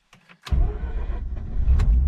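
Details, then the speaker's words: 2004 Mazda RX-8 rotary, sat for years, after fluid flushes, new coils, wires, plugs and starter, cold start in neutral with clutch in: brief starter whir, catches cleanly, settles into a steady idle about 830-840 rpm, coolant 91; healthy. "and it fires so coolant sitting at 91. idle at about 8 30 8 140 RPM temperature is where it always sits oil looks good on these gauges"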